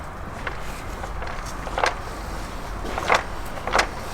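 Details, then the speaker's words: Mk2 Ford Focus ST on a ramp during vibration diagnosis, drivetrain turned by hand: a few dull irregular clunks as slack is taken up before the diff hits the final drive; differential backlash clunk. "What's that noise? It's backlash of the diff before the diff hits the final drive."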